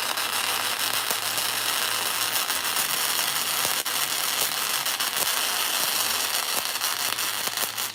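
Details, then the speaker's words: Beginner's first-ever flux-core MIG weld, .030 wire, wire speed 250, 18 volts, inductance about 7.5, cracked contact tip: harsh, irregular crackling and popping arc with spatter bursts, hard to hold steady; weld ugly, cause unconfirmed. "Huh. Well, that's ugly. That is hard. Harder than it looks. It's hard to hold steady."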